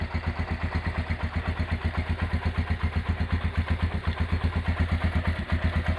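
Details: Restored Honda GL100 engine (year uncertain, possibly 2000–2002), rebuilt with Aspira GL Max Neotech piston, CDI ignition, valve clearance set at 0.10: even single-cylinder idle pulses, no ticking or knocking; smooth, healthy idle.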